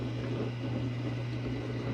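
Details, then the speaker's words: Kenmore Quiet Guard dishwasher on a light wash cycle: quiet, even low pump hum with no gurgle or flow; water still left in the tub, so the drain pump is suspected faulty or clogged. "no it still has some water let's see"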